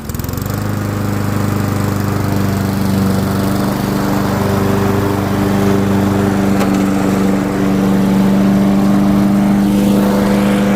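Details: Curb-found Weed Eater walk-behind lawn mower, small single-cylinder engine: holds a steady, even beat at constant speed with no misses or knocks, so it is running well.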